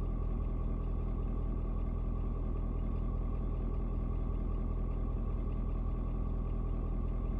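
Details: Ford Super Duty 6.7 diesel (Platinum) cold start at 56 degrees: steady, even low rumble with a smooth regular beat and no knocks or misses after a slight rpm drop (owner unsure if block heater); normal idle.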